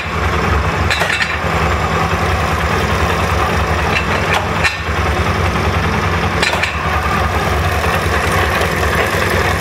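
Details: SMC 250 at steady idle with a loose, uneven metallic rattle over the engine; owner suspects a rattling chain.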